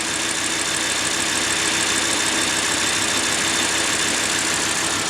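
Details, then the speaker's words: Audi R8 V10 at hot idle, mic held close, after retainer replacement: steady, even hum with no squeak or chirp; the earlier squeal that appeared when warm is gone. "자, 지금 리테이너를 교환하고 엔진에서 소음이 안 나는 거를 들을 수 있습니다. 가까이 한번 마이크 대볼게요. 지금 똑같이 열간시거든요. 끽끽끽끽끽 거리는 소리 안 나죠?"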